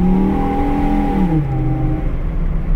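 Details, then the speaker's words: 2004 Chevy Colorado 3.5 L: pulls cleanly, pitch climbs then eases with no bog under load; runs perfect, where before it fell on its face. Healthy acceleration. "it runs perfect now before would just fall on its face so I'm good with that"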